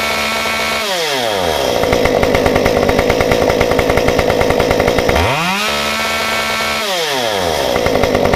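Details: Stihl 193T climbing saw with muffler mod, about 8–9° timing advance, 93 non-ethanol fuel, restarted warm after 5 minutes off; formerly stalled on throttle: fires straight away, revs and drops back cleanly, crisp steady idle between blips.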